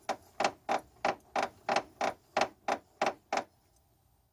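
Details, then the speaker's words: 2007 Dodge Caravan, creaking noise after hitting a pothole, heard over bumps: rhythmic rubbery creaks about three a second as the front suspension is rocked; worn sway bar bushings suspected. "but this one is actually coming when you hit a bump it's just kind of making a noise and that's the noise"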